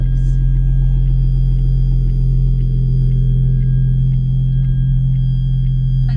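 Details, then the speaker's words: Lotus Evora with valved exhaust (another owner's healthy engine, compared to a blown one) at idle: deep, even low rumble with steady beat and faint light ticking; smooth, healthy idle. "so he's got a valved exhaust on this one but you can already hear how much healthier this engine sounds than mine"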